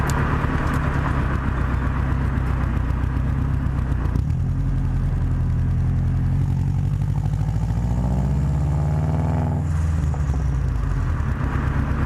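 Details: Subaru WRX after fitting a downpipe-to-cat-back exhaust flange adapter to cure a flange leak: deep steady exhaust rumble with smooth rev rise and fall, no puffing or ticking at the joints; sealed, normal exhaust note.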